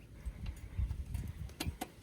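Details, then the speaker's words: Honda H'ness CB350, due for its second service in 500 km, riding over rough ground with bursts of sharp clicks and loose rear clatter, very bad in potholes; owner suspected the number plate, shock absorber not confirmed. "ये बज रहा है। ये खड्डे में बहुत भयंकर बज रहा है अभी तो।"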